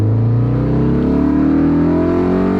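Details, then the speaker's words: Mazda Miata fitted with two exhaust camshafts, idling loud, rough and lumpy; the cams give it more zip at higher rpm. "you can hear the idle. Yeah, it's a little bit rough. You put in 2 exhaust cams, it's gonna do that."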